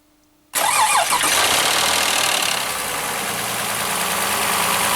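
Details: Lexus RX 330 3MZ-FE V6 petrol, running unevenly, starting with a loud, harsh metallic clatter; a cam phaser not locking, with worn camshafts found.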